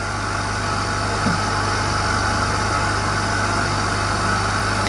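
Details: Portable home hyperbaric chamber (1.5 ATA) compressor filling it, pressure passing about 40 kPa (1.4 ATA) toward 50 kPa: steady even hum, constant low drone, no knocks; compressor running normally.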